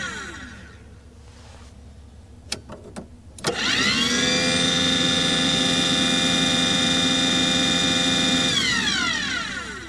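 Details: Aqua Hot 400D RV boiler burner: blower spins up to a steady high whine for about five seconds, then winds down with no flame rumble or smoke. It fails to ignite. Owner suspects air in the system, so no fuel reaches the nozzle and the CAD cell cuts it off.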